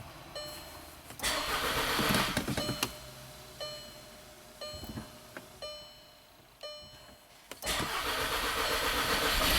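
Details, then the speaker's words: 2012 VW Tiguan turbo GDI, code P0087, fuel pressure only 10 bar versus 48 specified, on jump battery: engine cranks, catches with a brief surge, then sags and dies twice, crank-start-stall from low fuel pressure. "So customer's right, it's a crank start stall. So we're not worried about anything except for the fuel pressure"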